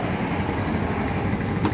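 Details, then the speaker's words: Mio Sporty scooter after replacing timing chain, worn tensioner and scored rocker arm without overhaul, previously clattering: soft, steady idle putter with no head ticking, only exhaust heard; top end quiet and healthy. "Okay na po siya ngayon, tahimik na yung makina."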